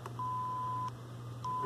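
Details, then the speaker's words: BK Precision LCR meter measuring inductance (about 57–58 µH) by sending a roughly 1 kHz test signal through a speaker. Two clean, steady beeps of about three-quarters of a second each; normal test tone. "of course you can hear the thing beeping because it's running a killheart signal into it to measure it"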